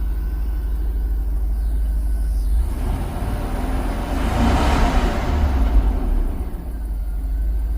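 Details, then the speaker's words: 2000 Cadillac Escalade after fixing crank-no-start by replacing the distributor cap: deep, steady low rumble idling at 900 rpm, even beat with no misses or knocks; smooth, healthy idle. "After a couple of weeks of fighting this and getting his nephew out here to scan it for us and finding the problem, it's finally good to hear it running again."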